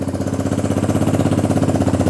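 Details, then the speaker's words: XR150 clone motorcycle, first start after carb work and a brief battery charge, enricher cable newly fitted: starts right away and settles to an even, quick single-cylinder idle with no misses or hunting; carb issue confirmed fixed. "that started right up. So clearly a carb issue. Now let's see. Oh yeah, that seems to run really well."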